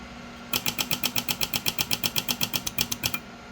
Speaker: let's go down till the relay starts chattering it's 40 HZ 30 Herz 25 Herz relay is still keyed up